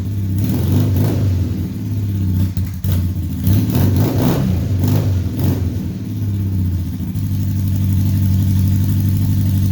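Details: 1978 Honda Hawk cafe racer build with automatic transmission, new exhaust after reseating an off-centre header on its copper compression ring: engine blips and settles to steady idle, no popping, hissing or spitting; exhaust leak fixed, normal running.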